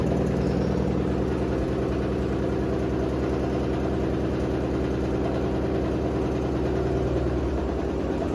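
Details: Hotpoint WD860 washer-dryer on spin with a badly unbalanced load: a heavy steady drone with a low throb on each drum turn, and a strange noise at the end.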